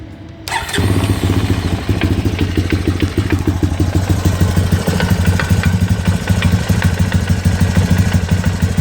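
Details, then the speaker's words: Honda 250EX ATV with low hours, at idle: steady idle with a regular light knock about three per second over the exhaust beat. Owner first feared a crank bearing, but a stethoscope places it at the clutch; owner hopes adjusting clutch free play cures it. "the engines making a knocking noise and I was concerned originally I thought it was a crank bearing and I used a stethoscope and I can tell it's coming from up here which is where the clutch is"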